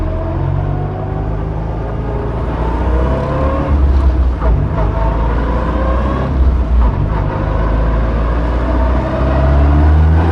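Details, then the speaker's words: Skoda Felicia rally car with Polo GTi ARC engine on throttle bodies, rally exhaust, straight-cut gearbox, full-throttle dyno run from second gear: note rises then hangs and stumbles around 6,000 rpm, repeating flat spot, not pulling past. "It's not happy, is it? This flat spot is repeating and it's kind of not pulling past. Yeah, it's around about 6 again, isn't it?"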